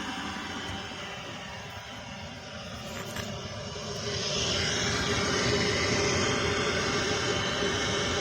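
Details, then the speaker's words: Used Eberspächer Hydronic D5WSC diesel parking heater on a Ford IDI pickup, fed from the fuel return line and test-run: even roar swelling then holding with a fast regular pulse, blowing warm air; runs normally but loud, with no exhaust muffler. "blowing some warm air out exhaust I don't have a muffler on it so I might consider installing one because it is quite loud"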